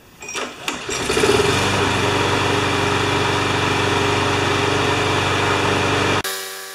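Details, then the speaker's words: Free Sears Platinum/Quantum walk-behind mower, found behind a garage, starting: fires after a pull or two then settles into a steady, even thrum with no misses; running smoothly. "there aren't enough O's and smooth to describe that"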